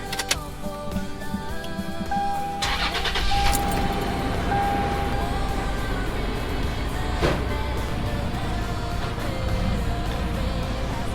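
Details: Toyota 4Runner 5th generation restarted after a battery replacement: a brief crank, then it catches promptly and settles into a steady idle under background music. Normal engine start.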